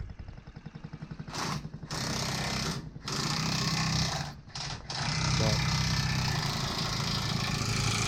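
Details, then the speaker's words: 2008 Honda Ruckus scooter, revived after sitting over five years, carburetor cleaned of clogged jets: small single-cylinder buzzing and revving steadily, running well only with a sock stuffed in the carburetor intake boot. "see this is what we had to do put a sock in the carburetor boot this so does run right but she runs good now"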